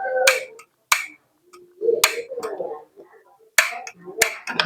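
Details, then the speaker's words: Gas stove after clearing a spider web from the igniter: sharp dry uneven clicks, no whoosh of flame; igniter still won't light, technician suspects dirt inside the valve body; cleaning it restored the flame. "ini magnetnya juga nggak nyala teman-teman. Ini kan nggak nyala. Terus ternyata butuh dibersihkan juga, ini ada kotoran di dalamnya mungkin ya."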